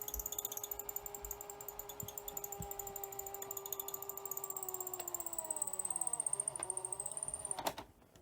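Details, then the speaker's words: Sony SL-C40 Betamax during tape playback: steady high squeal drifting in pitch over the tape transport, thought to come from one side of the cassette at a scraggy tape section; cause suspected, not confirmed. "uh yeah you can hear it's just squeaking and I think it's it's actually"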